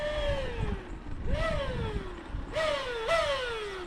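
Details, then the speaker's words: Traxxas Maxx Slash RC truck with a sway bar kit and cooling fan fitted, after hard running. Motor whine rises with each throttle blip and winds down freely with no load; owner suspects a thrown pinion gear. "ah it sounds like I just threw the pinion gear dang it"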